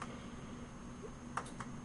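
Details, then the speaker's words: 1994 Toshiba CF26C30 26-inch CRT TV after touching up power-supply solder joints: power relay clicks about every half second with a faint sound in the speaker, but the set won't power on; intermittent power-up fault. "before the relay is clicking you hear the little in the speaker but it won't power on"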